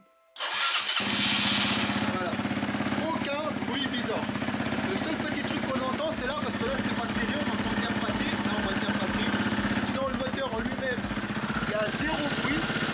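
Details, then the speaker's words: ERZ/CRZ pit bike single-cylinder fitted with a prepared cylinder head: starts and settles into an even, steady idle with only a light loose-part rattle; runs well, so the fault lies in the owner's original engine, not the head. "il n'y a aucun bruit, elle tourne très très bien."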